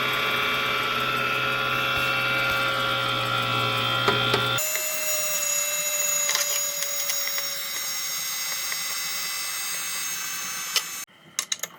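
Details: DTF MAX printer fan gives a steady whir with a thin whistling tone holding its pitch alongside the printer running; abnormal fan noise, cause not stated.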